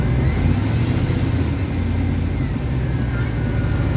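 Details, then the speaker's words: Abandoned Dodge Dakota R/T 5.9 V8 with water pump replaced just before it stopped being driven, taking coolant, possible stuck thermostat or radiator clog suspected; high, shrill, rapid chirping squeak over the running engine, present since owner got it, source unknown. "we'll show youall this squeak ever since I got the [ __ ] thing I don't know what squeak"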